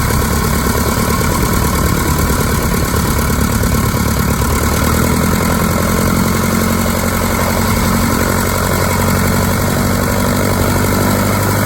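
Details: 1946 Piper J-3 Cub, first start of its new engine, last run three years ago on the test stand and turned over weekly since: a steady, even, low thrum ticking over smoothly at idle with no knocks or misses; healthy.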